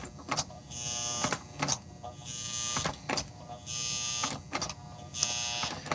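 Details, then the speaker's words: 1955-57 American Flyer 372 Union Pacific GP7 locomotive, on power before any servicing, earlier would not move: buzzing motor surges in uneven bursts, stopping and restarting with clicks; dirty reverse unit and gummed motor. "That's interesting because I actually could not get it to move uh earlier. So, I'm impressed that it did move. Uh, obviously we've got uh some issues going on."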